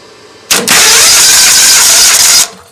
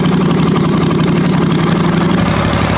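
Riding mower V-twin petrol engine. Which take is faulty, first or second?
first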